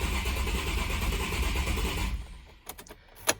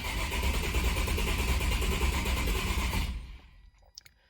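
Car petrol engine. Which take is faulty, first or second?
first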